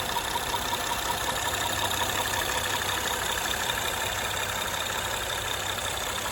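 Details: 2013 Honda Accord Coupe EX-L 3.5L V6 automatic: fast, light ticking about twice a second over the idle. It persists after timing belt, tensioner and water pump replacement and a valve adjustment, and is worse at high RPM; owner suspects a worn cam lobe.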